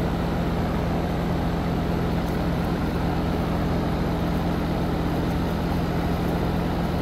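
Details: Heat pump outdoor unit just after replacing the start and run capacitors, about mid-60s°F outside: steady, even compressor hum with a smooth fan whoosh, no clicks or rattles; running normally and the line is cold.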